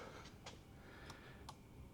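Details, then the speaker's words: Flood-damaged 2014 Maserati Ghibli after corrosion cleanup and rear fuse box rewiring, battery just connected and no spark plugs fitted: faint irregular sharp clicks over a quiet hum; relays clicking in the body control module. "I hear some clicking going on can you hear it you H the battery up yeah there's been some clicking from the BCM"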